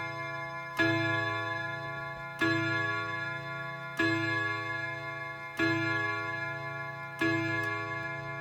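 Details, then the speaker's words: Whittington chime on a Hermle mantel clock (late-1980s case) fitted with a brand-new Hermle 1050-020 triple-chime movement with bronze bushings: clean strikes about every 1.5 seconds, each fading smoothly; normal healthy chime train. "Alright, let's see if we can get, we're going to be listening to the Whittington right now."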